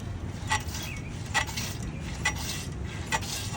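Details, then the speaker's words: Honda CG 150 motorcycle, front end pushed down: sharp squeaky clink about once a second per compression; company rep blamed rider weight (80 kg) on the shocks, owner disagrees; front shock noise when compressed. "वो भाई मुझे कहते हैं ये जो शाक है ना इसका वजन है 3035 किलो। आपका वजन है 80 किलो। तो आप इसके ऊपर डाल रहे हो ये तो ऐसे आवाज आएगी।"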